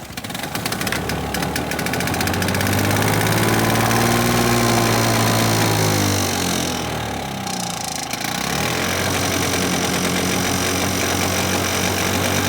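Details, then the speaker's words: 1980s Victa two-stroke lawnmower after a spark plug replacement (earlier carburetor needle and primer bulb work) starts on the first pull, revs up, then settles into a steady, even buzz with no misses; runs cleanly. "so there you go folks as simple as popping a new spark plug in and this victor two-stroke lawn mower from the 80s started first pull there"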